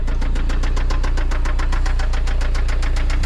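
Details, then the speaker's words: Toyota MR2 SW20 with 5S-FE engine on its final drive before a 3S-GTE swap: a hard, sharp knock about six times a second pounds steadily over the idle; worn connecting-rod bearing knocking. "All right, let's do one more walk around. Check out that sweet rod knocking 5sfe."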